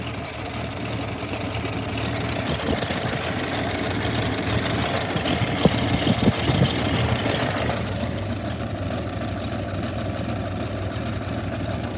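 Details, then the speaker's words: 1929 Buick idling just after an oil change, with spilled oil burning off: a light, fairly regular tick about three per second over the idle. The owner calls it valve tick, though a fuel injector is also mentioned. "We have some extra oil burning off from where I dripped it everywhere when I changed the oil. See, I got oil on all that. That's why that's doing that. You can hear the valves ticking."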